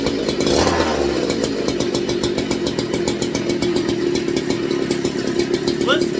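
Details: McCulloch MC49 chainsaw after rebuild on a substitute 090 carburetor, first run in over 40 years, 64°F shop: steady, even high-pitched two-stroke buzz with no misses or surging; runs cleanly and holds speed after an ignition fix.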